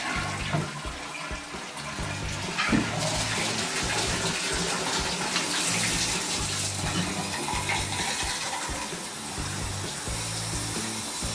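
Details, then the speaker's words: Home inspection walkthrough, Denver house bathroom: shower running, sink running and toilet flushing together; steady rushing water with a flush surge, no sputter or hammering. Good spray, so water pressure is good and normal. "we got good water pressure because of the shower is still running good and running the sink and flushing the toilet and we see all the good spray so we know that the water pressure is pretty pretty good"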